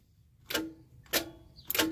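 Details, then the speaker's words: RV turned with the key: three single sharp clicks about two-thirds of a second apart, no cranking; starter clicks but engine does not crank, owner suspects a stuck starter with carbon buildup, unconfirmed. "how it's just clicking so you can hear that it's trying to turn the starter but it can't because it's probably stuck"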